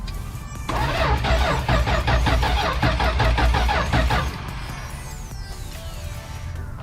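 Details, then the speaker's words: 1971 Dodge Dart sitting for years, seized motor freed with oil in cylinders, plugs cleaned: even starter cranking about two and a half per second, never catching; no spark because no power reached the coil. "i cleaned the spark plugs off got us to crank over and uh so i discovered i wasn't getting spark"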